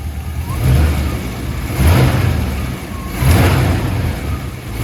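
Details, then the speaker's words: Holden HT 308 V8 after repairing an exhaust leak from a cracked manifold and changing both plugs, fired up to burn off oil: deep rumble with three even throttle blips, no ticking or puffing at the manifold; normal running and revving, leak fixed. "let's fire it up and uh burn all the oil off and see if it doesn't [Music] leak see it's better"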